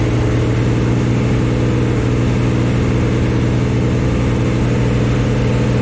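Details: New Chevy 350 V8 in a 1974 Chevy Nova on its first start, running a smooth, even fast idle with no knocks or misses. Normal. It was shut off early for oil squirting from the valve covers, which had no PCV valve or breather.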